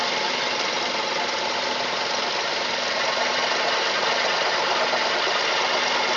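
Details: Mazda 3 at steady idle: a fast, uneven tapping, near three beats a second, running through the engine note; owner asks what this knock is, cause unknown.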